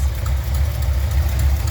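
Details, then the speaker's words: Buick 455 Stage 1 V8 in Regal at idle after retightening very loose header bolts: heavy lumpy idle with faint quick tick; owner suspects exhaust leak at new header gaskets, not confirmed. "I don't want to believe that it's these brand-new rim Flex exhaust header gaskets but held at this point that's what it is"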